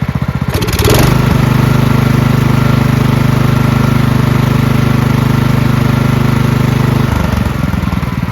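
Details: Marching band hauler small engine after carburetor cleaned of red residue and fuel lines, filter and shut-off replaced, oil checked free of gas; starts after short crank, steady even chug six seconds, shuts off smoothly; normal running.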